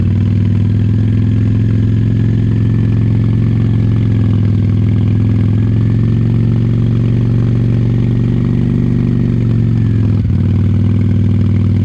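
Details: 1998 Honda Shadow 750 ACE V-twin, sat over 5 years, steady idle on a 65° day after carburetor cleaned: deep, very loud, barely muffled rumble, exhaust likely without baffles, no clear hesitation; owner suspects lingering fuel issue.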